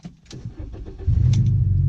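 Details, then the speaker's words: Volkswagen Beetle with a straight-pipe exhaust starting after a short crank into a loud, deep, steady rumble; something plastic is heard as broken; normal engine start with straight-pipe exhaust. "Ooh, and it sounds good with the straight pipe. Oh, hell yes. Sounds like every Volkswagen at your local high school."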